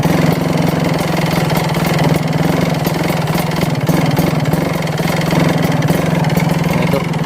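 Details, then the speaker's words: Kawasaki Ninja RR two-stroke idling with a badly worn HSAS (secondary air system) reed membrane. A steady hum with an uneven hunting beat, and it won't settle to idle; idle smooths when the HSAS intake is blocked by hand. Rough idle from worn reed valve. "E membrannya membrannya itu dia gak mau langsam kayak gini nih susah langsamnya"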